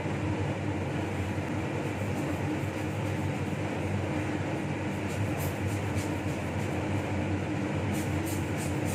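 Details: Laminar flow hood restarted during reassembly of a Toshiba DT01ACA100 donor hard drive: steady, even rush of air, no rattles, rubbing or pitch wobble; the blower is running normally.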